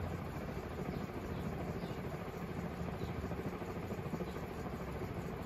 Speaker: oh listen to it bearing's a bit rough hopefully the oil that i'm putting up will wear in soon